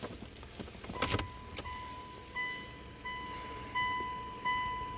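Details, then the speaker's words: Mitsubishi Lancer sitting about 12 months, dead with no crank, now on jump-start cables; repeating soft chime about every 0.75 seconds shows electrical power is present. "please there is that uh sound good indication that we are getting power"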